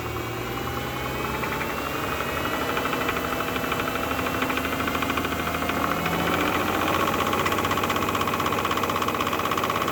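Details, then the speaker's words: 2006 Bentley Continental Flying Spur (salvage), running after oil pan refitted and fresh oil added: steady knock about three times a second deep in the block under engine hum; suspected rod bearing knock from the bottom end, engine likely needs replacing. "Well, I'm not very pleased after hearing that noise, because it definitely does sound like it's something on the bottom end."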